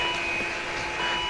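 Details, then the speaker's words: 2012 Volvo XC60 electronic park brake during an iCarsoft installation check: a short, steady electric whir with no grinding as the motor runs a park and release sequence. Normal park brake motor cycling. "Sounds like it's running through a park and release sequence."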